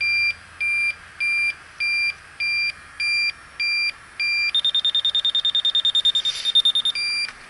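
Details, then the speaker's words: York rooftop AC unit with a refrigerant leak, electronic leak detector probing at the coil: slow steady beeping near 2.5 kHz jumps to a rapid high chirp, confirming a leak at that spot. "Well, it's leaking there. That was a pretty cool little thing."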